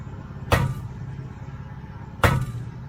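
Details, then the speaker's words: Trailer spring brake chamber, rusted at the base, tapped with a hammer: two taps give a bright, ringing metallic clink instead of a dull thud, revealing a broken internal spring; chamber to be replaced entirely. "hear that hear the metal this brake chamber is broken this brake chamber is broken and the base of it is pretty rusted too"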